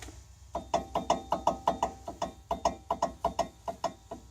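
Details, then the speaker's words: Front wheel bearing/hub on a 1998 Oldsmobile Bravada (all-wheel drive), raised wheel rocked by hand after brake pad change: rapid hollow clunks, about three a second, from noticeable play; owner believes a bad wheel bearing, whole hub assembly removed. "know if you can see how much that's moving but that's a good bit that my friends I believe is a bad wheel bearing"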